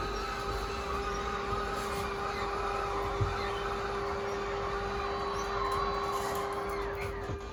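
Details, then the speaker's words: 2013 Crossroads Sunset 29SS travel trailer slide-out: steady electric motor whine for several seconds, then winds down and cuts out as slide reaches full extension; normal slide-out motor operation. "You heard those motors wind out and cut out. That means that it is fully extended."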